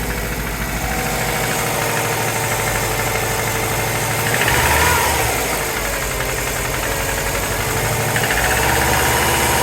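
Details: Cold start of a 2003 Subaru WRX with JDM EJ205, catless up-pipe and downpipe, safety tune, otherwise stock: steady rattly tick about three per second at idle; owner unsure if valvetrain or rod knock.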